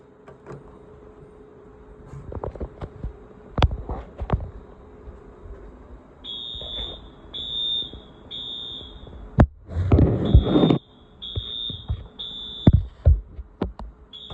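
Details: Wheelock new-series fire alarm, wired up and tested: repeated high-pitched buzzing tones in short bursts with handling clicks between; alarm tone sounds normal.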